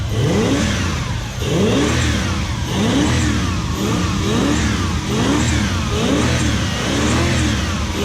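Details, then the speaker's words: BMW E36 coupe fitted with a Toyota 1UZ-FE UCF20 Gen2 V8: revs blipped repeatedly, rising and falling cleanly with smooth even firing, no misses; normal running. "what a sweetheart run and we're gonna check right now what so another one running"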